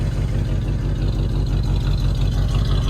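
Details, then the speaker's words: 1978 Jeep Cherokee SJ idling, heard at the exhaust: deep uneven stumble about three beats a second with irregular dropouts and engine shaking; cylinder misfire, owner suspects poor spark plug wires and recent rain exposure. "and you hear that that's that cylinder misfire it rained a lot the other day and this was outside and i think that has to do with it"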